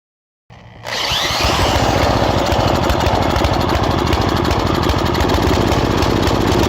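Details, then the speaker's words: Old tiller engine restarted after the oil was checked for level and water. Fires up and settles into an uneven, blubbery chug of about 200 beats a minute; the carburetor runs too rich even at the minimum setting, nearly flooding the engine. "And it's running way too rich. And I've set this to the minimum, but it's still running so rich that it's practically flooding the engine out."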